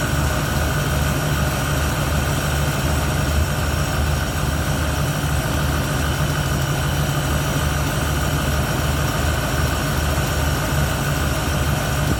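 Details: 1971 Ford Torino, rebuilt 302 V8 with C4, warm, after idle mixture screws adjusted evenly on carburetor (was a little lean): deep, steady burble with even lope, no misfires or stumbles; clean healthy idle.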